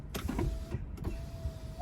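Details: 2010 VW Passat power window: a short, clean motor hum at steady pitch with a soft stop, no grinding or clicking; the window runs normally.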